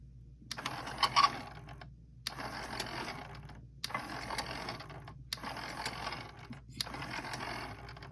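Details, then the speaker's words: Denon DCM-380 CD changer (tray wouldn't open, Error 2) after its seized motor was worked free by repeated cycling. Five whirring, clicking mechanism bursts; the high-pitched screech is mostly gone. "most of that screeching noise is gone now but anyway that's how I fixed this"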